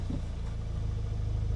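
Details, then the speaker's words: 2017 MK3 Audi TTS, 40,000 miles, crash-damaged with many warning lights, coolant uncertain, just started: steady low, even idle with a smooth unbroken rumble and a little dump-valve sound, no knocks or misses; sounds healthy. "That sounds nice as well. A little dump valve."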